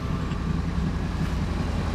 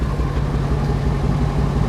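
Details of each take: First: 2001 Ford F250 5.4 V8 plow truck after replacing the cylinder 5 coil and spark plug to cure a misfire, about 15 minutes running with no codes: smooth, even idle, steady low rumble, no misses; an exhaust leak remains. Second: 2001 Ford F250 5.4 V8 plow truck idling with an uneven, stumbling beat and pops; bad misfire on cylinder 5 (P0305), spark plug already changed, ignition coil to be replaced.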